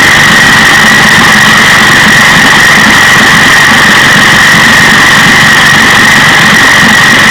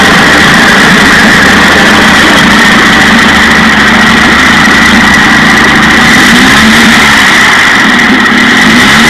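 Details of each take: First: 1956 Johnson 15 HP outboard two-stroke running: loud buzzy note with uneven sputtering; after spark work the miss moved from bottom to top cylinder, timing light shows top cylinder missing fire. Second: 1956 Johnson 15 HP two-stroke outboard after new points on the misfiring top cylinder, which had no spark. Loud, even buzz at a steady fast idle with no misses or stumbles: normal running after the repair.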